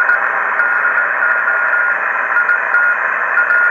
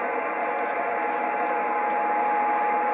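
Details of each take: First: Kenwood TS-950S HF transceiver after repair of a deaf receiver, on 20 m with a wire antenna: even band hiss, faint steady carrier and a short voice breaking through; normal receiver operation. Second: Kenwood TS-950S digital HF ham transceiver, fed a 7.01 MHz signal-generator tone at about 900 mV: faint thin steady tone buried under hiss, no S-meter indication, far weaker than it should be; deaf receiver.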